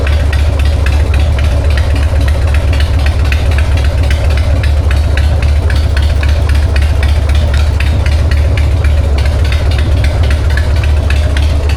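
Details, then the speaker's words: 1999 Harley-Davidson Sportster 1200 with S&S Super E carb after cleaning and replacing the accelerator pump, the suspected issue: deep, even V-twin thump with a steady loping beat, no spitting or stumble; normal running after repair. "Okay. You can't tell me you don't love that sound. That is a 1999 uh Harley-Davidson Sportster 1200 with an SNS carb."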